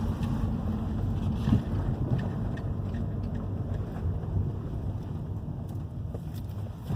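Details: 2011 Hyundai i30 2.0 gasoline on a road test over the same irregular street after the stabilizer bar bushings and both links were replaced: low road rumble with some wind and no clunks over bumps; the earlier knocking is gone.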